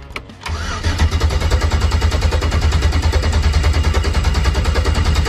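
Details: LS 5.3 V8 in Chevy Malibu after oil pump pickup O-ring replacement for oil drain-down: even cranking chug about three beats a second, steady with no catching.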